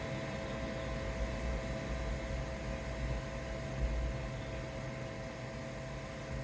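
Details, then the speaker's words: AllPowers S2000 solar generator after running at maximum load: steady airy fan rush with faint hum slowing in small steps as it cools, no burning smell or excess heat; normal cooling fan run-down. "I don't know if you guys can hear it but the fan is slowing down very incremental steps of slowing down as it cools off"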